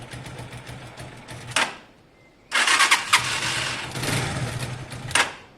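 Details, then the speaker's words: Zontes Tiger 125cc (Keeway RKV), carbureted single with a little petrol, on its first start attempt: two short cranking bursts, a pause, then it catches on choke with a busy, uneven cold idle. "Is there a choke on your side? Clutch. Oh, it does have a choke. Go on, try that. Oh wow."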